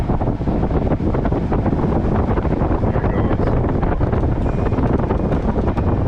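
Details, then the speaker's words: 2011 Ford Taurus 6th gen, HVAC set to 75 then down to AC on vents: steady strong rush of air at high fan, smooth with no clicking or ticking; blower working normally. "so there it is it really kicks up good stuff"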